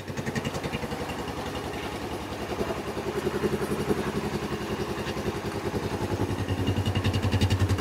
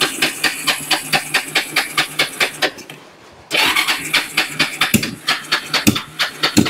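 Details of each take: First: Kawasaki Bayou 300 ATV, parked about two years, after carburetor cleaning and spark test: small single-cylinder engine puttering at a steady, even beat around idle, picking up slightly, no misses, no smoke; running normally. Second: Kawasaki Bayou 300 ATV parked for two years, cranked on choke after carburetor cleaning: even cranking that never catches. The spark plug came out soaked in fuel, so the engine is flooded.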